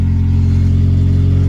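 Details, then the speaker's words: Prelude after an EGR delete with a block-off plate and a new full custom exhaust, car still raised in the air, which changes the sound versus on the ground: steady, even low idle with a smooth deep note and no knocks or misses. Healthy. "Oh yeah, she sounds so good right now. Cool, we got that delete the new exhaust system. It's still in the air, so it sounds a little bit different than on ground, but here it is."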